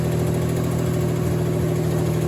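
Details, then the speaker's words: 1989 Mitsubishi Montero Gen 1, first start after reinstalling the engine with a new clutch and pre-bled lifters: once warm and getting oil pressure, a smooth, steady low idle with only a slight normal tick remaining. "It heated up, and then it got way more quiet. I can still hear a little bit of tick, but that's way more normal than what it was before. So it's getting oil pressure, and that's making it go quiet."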